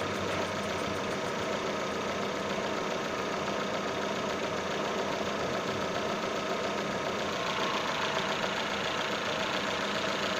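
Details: Datsun on-DO at idle: a faint steady high whistle over an even idle, alternator belt squeal.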